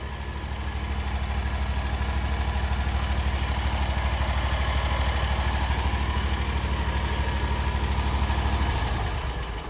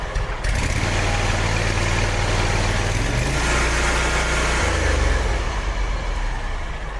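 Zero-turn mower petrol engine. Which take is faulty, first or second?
first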